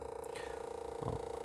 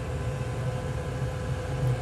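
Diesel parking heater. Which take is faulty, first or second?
first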